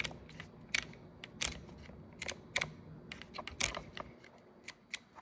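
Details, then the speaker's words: 1995 Geo Tracker heater switch fixed with a hack after its detent ball fell out: crisp separate clicks as the knob steps through positions, each snap clean and positive; detent working properly. "And then now your switch works perfectly. Super easy. And now you can hear the detent"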